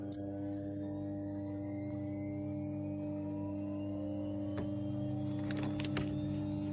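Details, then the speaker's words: Fuel pump PWM bench rig, two pumps at 100% duty driven through a fan speed control module, drawing 35 A at 500 kPa: steady pump drone with a faint climbing whine. Pumps underpowered; the rig can't keep up. "hear that little rig it can't keep up 35 amps 500 kPa"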